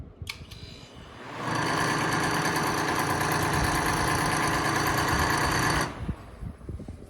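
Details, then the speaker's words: Thrift-store dehumidifier running with a harsh, buzzing rattle, about four clatters a second. The fan motor is loose: holding it stops the noise, and tightening it is the planned fix. "however this one makes a horrible horrible rattling noise here and this is what it sounds like"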